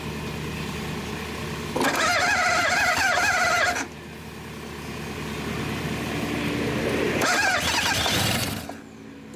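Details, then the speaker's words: 1962 Dodge 100 truck, first start in 25 years, gas poured in carburetor: cranking with uneven popping and backfiring through the carburetor; owner suspects an intake valve stuck open. "popping through the carburetor so much, I'm sure there's an intake valve stuck on it."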